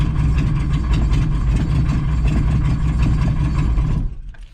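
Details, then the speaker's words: 1986 VW Jetta Mk2 1.6 turbo diesel barn find: lumpy, uneven clatter at about four pulses a second, then shut off; rough running, soot but no raw oil, fueling problem suspected. "we're missing something pushing that lever yeah let's turn it off"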